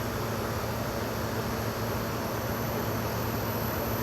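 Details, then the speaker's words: Furrion Chill Cube 18k variable-speed RV air conditioner, exterior unit, cool mode on low: compressor starts from zero with no startup surge, steady even hiss and hum ramping up softly at slow speed, normal soft start. "It will start from zero and ramp up extremely soft."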